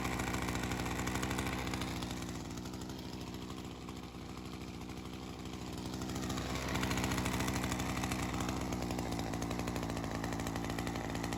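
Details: Ryobi CS30 two-stroke string trimmer, HiPA aftermarket carburetor weeks after install, slightly readjusted after settling in, ethanol fuel sitting in it: steady even buzz lifting slightly midway and holding; holding up. Normal idle.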